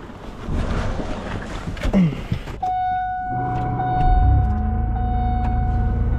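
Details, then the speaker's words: Car at 6 a.m. cold start in deep Alaskan cold, not yet warmed up: steady high whine over the engine note, audible across the street; owner believes the power steering pump is struggling and will be fine once warm. "my power steering pump is not happy. The people across the street are able to hear it. Once it warms up, it'll be fine."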